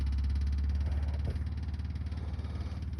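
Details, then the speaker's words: 6.5 diesel truck idling right after a lift pump upgrade, with the new pump spliced to the original connection and a relay that primes it before start: steady, even low chug about 220 per minute, no misses or knocks; normal idle. "if you have a diesel truck you shouldn't be afraid to get covered in diesel fuel and there you can hear it running"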